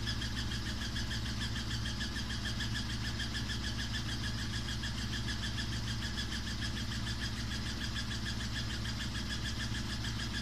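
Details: Samsung WW5300 (WW95T534CAE) washing machine on its second use, bought as an outlet item, very loud from the beginning. It makes a steady loud droning hum with a faint whine and fast rhythmic pulsing; the cause is unclear.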